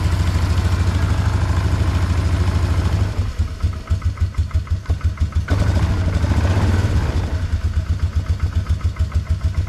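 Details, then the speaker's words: 2004 Polaris Trail Boss 330 ATV, first start after draining water from the fuel system and carburetor float bowl, on a mediocre battery with charger: single-cylinder thump about three beats a second, lumpy at first then holding idle; runs acceptably, carb may need work. "it doesn't run too bad we'll have to see when we actually are able to ride it if it's if it needs any more work in that carburetor but it did seem like once it ran a little bit it started getting a little snappier"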